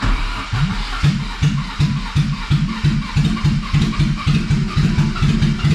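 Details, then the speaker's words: BMW E30 with swapped M50 engine, first start on a jump box, no exhaust fitted: uneven chugging pulses about three a second as the engine labours and stumbles, barely catching; hard start, struggling but starting. "nervous right she's struggling but she is starting so come on come on she ain't happy but she's running"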